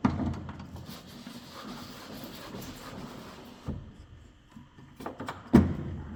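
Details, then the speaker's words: Mercedes B-Class door, lock rod had been binding because the door cover pressed it against the door. Quiet, then a couple of clean single clunks as the door shuts, with no rapid repeated actuator chatter: latching normally. "I'm sure when I will take off this cover the door will open and close without any problems"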